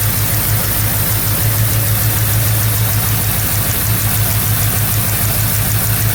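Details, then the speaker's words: 1977 Mercury Marquis, Ford 400M V8, run 10-20 seconds with one valve cover removed after new plugs and wires: steady low rumble with even beat, no knocks or ticks; oil visibly pumping, no sludge, engine healthy. "It's definitely pushing oil, so Yep. ran it for like 10-20 seconds."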